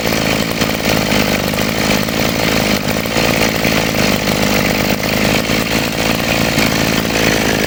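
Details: Model 411 brush cutter after repair of carburetor flooding from a dirty float that caused poor acceleration and cutting out, carburetor cleaned and reassembled; steady high two-stroke buzz holding even revs without surging, hesitating or dying, running normally.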